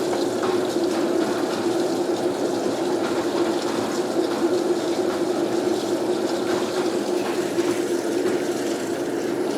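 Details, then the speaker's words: Water-saving washer (replacement for a failed Whirlpool) filling with wash water after balancing a wobbling load: a steady, uninterrupted rushing hiss with detergent premixed and a low water level. The fill is normal. "That's adding the wash water. The detergent's already mixed in there. And it doesn't put very much water in there."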